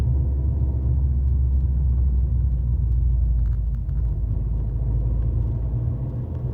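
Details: Fiat 500L 1.4 95 hp under acceleration: heavy low rumble with a rough, uneven throb over the engine note. Abnormal engine noise on acceleration, cause not identified.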